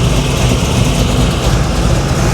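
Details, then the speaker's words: 500hp 1987 Chevy Monte Carlo SS V8 at warm idle with the choke fully open and smoking stopped. Deep, even, steady burble with no misses or ticks; it sounds healthy. "Idle sounds pretty good. Yeah, choke is wide open, so it's functioning like it's supposed to."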